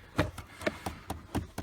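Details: 2010 Chevy Equinox: quiet sharp clicks about every quarter second under the dash, heard even with key off, from a bad hot/cold blend door actuator behind the glove box.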